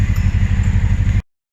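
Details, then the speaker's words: 1986 Subaru GL sedan revived after sitting a decade: new fuel line and lawnmower fuel filter, vacuum lines blocked, likely running on old gas; loud deep throbbing exhaust rumble with low pulses when revved from a blown-out muffler. "the mufflers blown out but it sounds pretty freakin badass"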